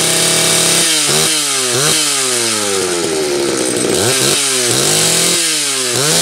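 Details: Homelite 330 two-stroke chainsaw, formerly trash-heap bound: crisp buzz rising and falling cleanly through each rev, settling to steady idle; kill switch wire not yet hooked up; healthy.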